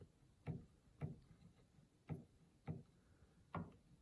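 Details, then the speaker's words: Yamaha G5 piano action removed and on a table: soft, sharp clicks about every half second, one per key release. Suspected to be the jack moving against the spoon, perhaps unevenly compressed parts; not confirmed. "That one makes some noise. That one definitely makes some noise. And this is just moving, the jack against the spoon."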